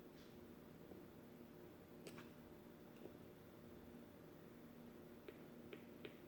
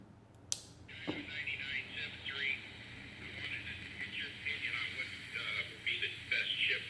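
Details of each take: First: 1960s Volt 2 two-transistor radio, previously completely dead, on a 4.3 V battery: quiet hiss with no station and sharp irregular speaker pops when the power switch is wiggled; intermittent connection, still no reception. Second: 1960s Volt 2-transistor radio, previously completely dead, after reattaching volume control; thin tinny speech and music over faint hiss with some level dips, not very loud; now receiving a station, volume control still uneven.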